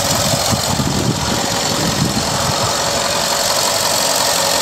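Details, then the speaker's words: 2011 Ford F-150 XLT 5.0L V8, about 450,000 km, one owner: smooth, even idle with steady low rumble, no ticks, knocks or misses; normal idle, though seller says catalytic converter code comes on occasionally. "five liter engine you hear it running well i think the truck's been maintained well by sounds of it"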